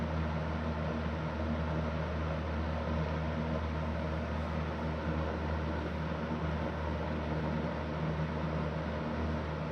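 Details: Super Electric 14-inch box fan model 1475 after restoration, bearings leaking, on slow speed: a steady, loud low hum and motor whine, loud on all speeds. Excessive fan noise.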